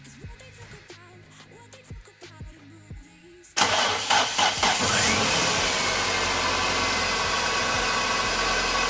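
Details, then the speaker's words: Nissan Primera P12 after replacing alternator bearings and brushes: engine starts and settles to a steady, even idle with no whine or bearing noise. "alt fungerer ingen støj overhovedet"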